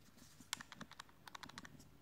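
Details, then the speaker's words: Simtoo Dragonfly drone camera gimbal broken after the drone fell when a motor failed: light, irregular dry clicks and ticks as parts move loose inside, focus not working; loose parts rattling inside gimbal. "hear that things are moving inside and the focus isn't working properly"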